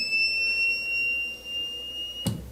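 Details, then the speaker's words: Solar voltage inverter beeps steadily for over two seconds at switch-on, then stops; output found shorted, probably failed MOSFETs in the first-phase power circuit. "Olha esse inversor aqui ó e ele ele automaticamente quando eu ligo ele apita e depois ele para o apito né é uma característica É um tipo né de defeito"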